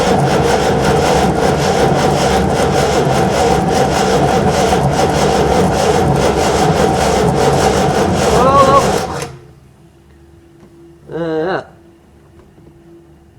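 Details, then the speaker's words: Scimitar under restoration, battery just fitted, spark plugs cleaned and fuel pumped up: even starter churning near three beats a second for eight seconds with no catch; cranks but won't start, earth strap not good enough and starting to burn. "Earth strap's not good enough it's starting to set on fire the one that goes"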